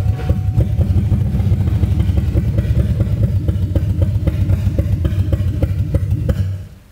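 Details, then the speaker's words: 2002 Mustang GT start attempt after vacuum leak fix: runs fine on ether but won't stay running, lumpy sputtering for seconds then dies. Fuel pressure dropped to 19; owner suspects pump can't hold pressure, unconfirmed. "the hot runs off ether just fine though it just won't uh won't kick off all my kicks won't stay running off the uh off of"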